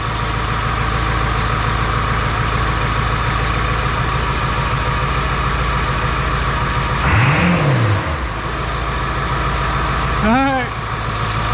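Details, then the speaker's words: 2002 7.3 Powerstroke diesel just after first start following engine install, idling around 800 with one quick rev: steady, even clatter, responsive, barely smoking; healthy normal idle. "I mean smooth didn't even barely smoke look didn't even barely pop off oh she's responsive now I barely even touched the pedal"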